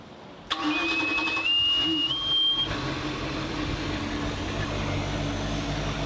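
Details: 23' Chaparral 2330 sport boat salvaged after engine fire, first start with water turned on after reinstalling parts and belts: short starter whine, catches at once, steady even idle, no misses; healthy.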